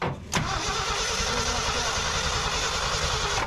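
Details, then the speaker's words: 1968 Ford F-250 with 390 V8, barn find sitting nearly 10 years, new fuel lines: steady starter cranking about three seconds with no firing; cranks but no start, no gas yet in the pump. "Is there anything in that pump? Here. Nothing. Ain't got no gas in it yet. Nothing in it yet. It ain't got no gas in it."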